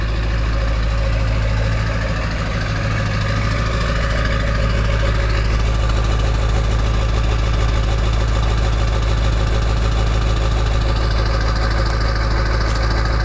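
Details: Early 1999 Ford F-250 diesel cold-started at 34°F, idling: even clatter of about 200 ticks a minute over a low steady rumble, a healthy cold idle.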